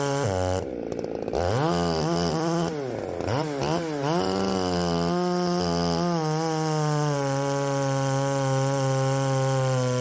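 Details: Poulan 3750 chainsaw fitted with an adapted Chinese Echo 590 replacement carburetor, untuned first test run; earlier ran erratically when warm despite a carb swap: revs surge and wander instead of holding steady; erratic running.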